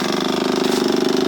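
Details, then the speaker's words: Kawasaki KLF 185 ATV fuel pump running with engine off, after tank and pump cleaning and wiring harness repair; steady mid-pitched electric hum with a fast even pulse, priming: normal fuel pump operation. "But actually there's progress. You hear that? That's the fuel pump."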